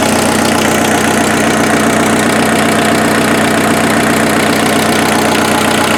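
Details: Freshened-up turbo diesel in an offroad Mazda truck idling after getting it running: an even, steady clatter with a regular beat and no stumbles or knocks. Much smoother than the previous engine, no smoke; normal diesel idle.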